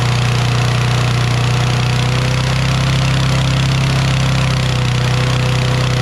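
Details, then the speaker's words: Toro Recycler XT675 mower, Kohler single-cylinder, restarted after sitting overnight: high steady drone, unloaded; governor adjusted the day before seems to still let it over-rev. "let me mess with this governor because the governor i adjusted yesterday and i think it's still revving too high"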